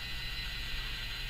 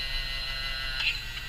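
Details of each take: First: Yaesu FT-767GX HF transceiver under repair, antenna tuner on and start pressed: tuning capacitors drive round with soft steady whirring and light gear chatter; now moving properly, much quieter than originally. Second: Yaesu FT-767GX HF transceiver under repair, tuner start pressed: small tuner drive motor gives a thin steady high whine with a faint click as the capacitors move; gear train audibly noisy, though less than originally.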